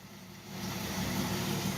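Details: 1967 Ford Mustang, first start after rewiring with new American Autowire front harness: engine catches and settles into a low, even idle within a second, no misses or knocks; running healthy.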